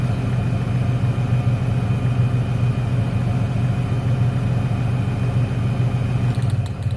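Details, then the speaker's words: 1996 Ford Ranger 3.0L V6 lacking power, lumpy uneven idle with a hitch in the firing rhythm; pulling the last plug wire changes nothing, so that cylinder, identified as number 1, is dead. "el problema está en el último al desconectarlo no se nota ningún cambio en el motor ese cilindro es el que no está trabajando"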